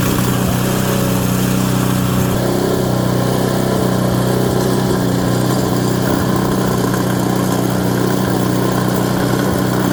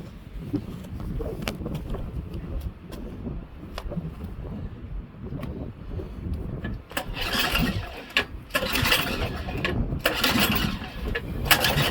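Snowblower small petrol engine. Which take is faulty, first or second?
second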